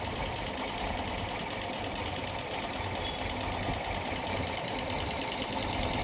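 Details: Yamaha FZS motorcycle engine: sharp, fast metallic ticking at about seven knocks a second, steady over a light idle hum; abnormal knocking from inside the engine.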